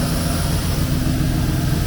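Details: Opel Kadett with Chevette-type engine on a 20-year-old FuelTech RacePRO-1Fi programmable injection, still calibrating at 20° timing: low uneven idle that wavers and stumbles, running lean, so fuel is added to the main map.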